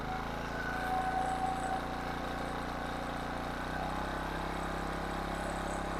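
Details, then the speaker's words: 1500 W King Canada generator with Chinese petrol engine, bought as a non-runner with suspected carburettor fault; after repair and adjusting speed from 71 Hz/190 V, even steady hum, brief pitch settle as speed is turned up, no misses or knocks; running normally. "okay guys so there you have it she's all running back to normal"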